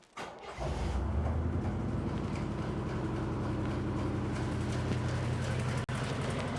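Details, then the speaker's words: Backfiring V8 (8 cylinders), plug lead testing, number 4 earlier found to be the backfiring cylinder: low uneven idle with a lumpy pulse about four times a second, engine stumbling badly with cylinder number 1 disconnected. "Over here, we'll start with number 1. Oh. It does not like that. Not at all."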